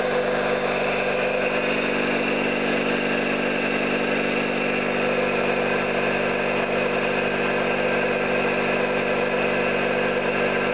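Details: Orlík 2 JSK 75-2 compressor, self-rebuilt after a bad "overhaul" (leaking concentric valves with dislodged axles, poor seals), one of the first starts with the motor temporarily started in star for the house breaker, 4 kW motor planned. Even drone with constant pitch, no knocks; normal running.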